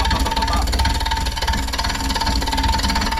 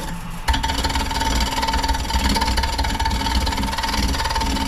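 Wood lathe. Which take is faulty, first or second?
first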